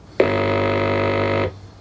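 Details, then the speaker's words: HMV record player (apparently model C1-81, 1955–57) amplifier, during restoration, heard through its speaker: a steady, buzzy low grid hum with rich overtones switches on and cuts off cleanly, so the amplifier is passing signal and looks promising. "all right so i should have some grid hum here okay well that sounds promising"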